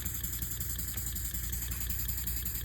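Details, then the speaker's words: Elmer's #33 model mill steam engine on compressed air at about 2–5 PSI after new steam chest gaskets and repacking, soft, even puffing with no hissing; much quieter, only a slight leak at one fitting, running normally. "So, let's give it some air and see how it runs now. Oh yeah, that's much better, much quieter."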